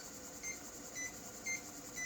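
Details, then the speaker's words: MPI Model 92 quad-density 5.25" floppy drive being realigned after deliberate misalignment, stepping to track 70 with 80-track disk: evenly spaced beeps twice a second with wavering pitch; heads still slightly misaligned, needing further fine adjustment. "okay so it's a little bit misaligned still because you can hear the difference in pitch in the beeping step of track 70"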